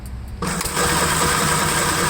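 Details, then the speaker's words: 1954 Gravely LI with no fuel flow and suspected intermittent magneto points: starter drones on steadily without the engine catching; battery nearly flat, cranking slowly. "and this battery is really gone so i'm going to shut the camera off for now let the battery charge up a little bit"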